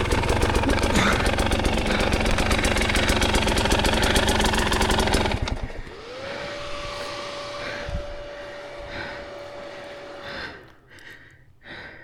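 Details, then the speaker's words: 2024 KTM 300 XCW two-stroke enduro bike running Evans waterless coolant, after hard riding: engine beat fades out, then a steady mid-pitched whir for four seconds as the radiator cooling fan runs normally. "You can hear that fan going on. I am running Evans waterless coolant in the bike."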